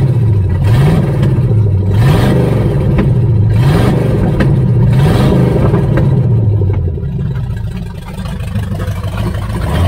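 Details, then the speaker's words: 1978 Chevy Nova V8, likely 305 two-barrel, abandoned 25 years, open exhaust, chewed distributor wires retaped, getting hot: lumpy, uneven idle with slight speed waver; runs on all cylinders but shakes, carburetor and distributor ruled out, cause unclear. "I don't know, it's still got a little bit of a shake, but it seems to be running on all the cylinders."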